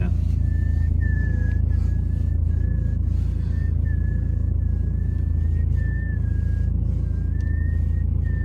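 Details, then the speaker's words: BMW 3 Series E90 in winter (December), squeak occurs mostly near top of wheel turn: thin high squeal comes and goes over engine rumble while turning the steering wheel; owner suspects a rubber part, source unknown. "Руль в BMW скрипит и свистит. Поэтому слушайте очень внимательно. Это чаще случается в холодное время года."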